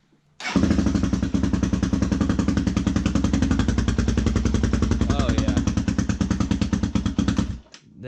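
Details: 2003 Honda 400EX single-cylinder after removing the cam's auto-decompression mechanism to cure a tick: even thump about three and a half beats a second, no tick; sounds much better, carb still needs adjustment. Normal idle.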